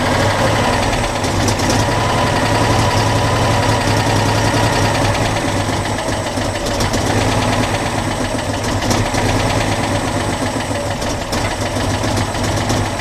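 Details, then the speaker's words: Citroën Dyane 6 twin, won't hold idle and cuts out, dirt passing the fuel filter; lumpy idle hunting three to four beats a second with uneven pops: dirt in carburettor causing unstable idle. "donc comme on peut le voir c'est un choix du tout ralenti un peu galère"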